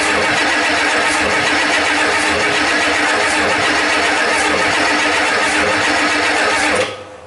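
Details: 1989 7.3 IDI diesel after fuel system work: steady starter cranking for about seven seconds with no catch, then stops; air in the fuel system keeps it from firing while being purged.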